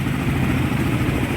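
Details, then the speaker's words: Cold-engine Raider 150 single that previously hard-started and died at 1000 rpm when cold: idle now stays smooth, even and stable, even slightly high, no hunting or stalling; mixture to be turned down slightly. "ang ano are ang Menor niya stable na boss sa malamig no mataas pa nga eh"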